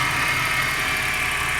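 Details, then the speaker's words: 2000 AU Ford Falcon with a whining noise at idle: steady high whine over an even idle from the idler and tensioner pulleys, which sound very noisy; belt slightly grooved, water pump weeping slightly; both pulleys to be replaced as worn bearings. "So that's the idler. You can hear it. It's very noisy. And also the tensioner. Yeah, you can hear that, how noisy that is."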